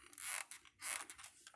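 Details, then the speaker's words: Brooks Imperial leather touring bicycle saddle squeaking: two short, high, creaky squeals about half a second apart as weight shifts; cause unclear. "that freaking squeak. You hear that? You hear that?"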